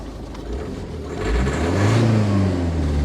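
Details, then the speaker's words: 2011 Ford Focus 1.6 TDCi Style diesel with a suspected injector fault and no codes. It idles well after an initial splutter, but revving brings uneven chugging and stumbling, a misfire under revs, with smoke from the exhaust. Injector coding was checked and correct. "But when you rev it, that's when it starts to misfire, chug, and it's blowing."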